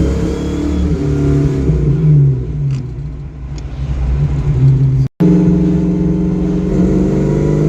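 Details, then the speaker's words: Ford Mustang project car with carburettor and ignition timing adjusted and vacuum advance locked out, driving: engine revs up cleanly and strongly, drops back and pulls again with crisp throttle response; pretty decent response, running better than ever. "see not too bad right pretty decent response running better than ever"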